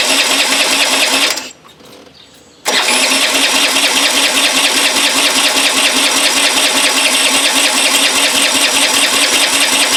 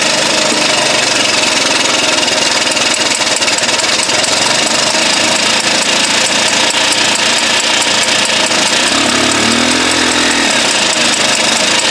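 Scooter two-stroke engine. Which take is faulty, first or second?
first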